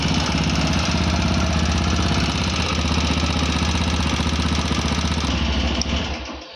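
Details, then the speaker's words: TVS Apache RTR 160 4V at about 41,000 km, reassembled after an initial tappet suspicion: steady idle with a hard, regular head knock about four times a second, confirmed piston slap from a worn piston; half engine teardown needed. "So S I told you I am confirm कि इसका piston slab हुआ है। मतलब piston इसका खराब है।"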